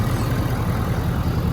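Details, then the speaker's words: 2017 Ford Powerstroke diesel pickup after fuel filter change and priming, idling to purge air and check high-pressure lines for leaks: steady, even low rumble with no knocks, misses or ticks; running smoothly. "i'm gonna numbers gonna let mine idle for a little while and make sure all the air is worked out of it make sure that there's no leaks coming out of any of the uh high pressure lines because if you've got leaks going on you've got problems"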